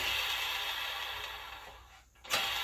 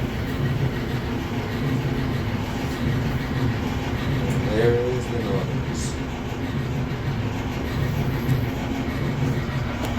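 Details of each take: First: Samsung mid/low-end freestanding dryer: a steady, hissy, high-pitched metal-on-metal scrape from a non-self-lubricating drum support roller (DC97-16782A). Lint on the shaft seized the roller and wore a flat spot; the fix is replacing both roller and shaft. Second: Samsung dryer after replacing flat-spotted drum support rollers and shafts: steady low, smooth tumbling rumble with no thumping, slightly louder from the new components, then stops; normal operation.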